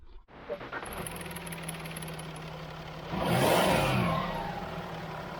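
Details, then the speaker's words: Jaguar XF 3.0d diesel after refitting a misplaced intake clip that leaked air and whistled: steady idle then quick rev settling back with no whistle or hiss; intake now sealing, noise gone. "it's complete noises completely gone there's nothing coming out there now so oh that's one little fix done"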